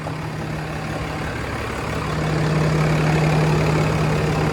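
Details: 2016 Ram 2500 diesel after installing a new Fleece Cheetah turbo to replace the OEM turbo with a faulty actuator: steady, even idle with a faint turbo whistle, no hiss or chuff from leaks, none visible; healthy idle.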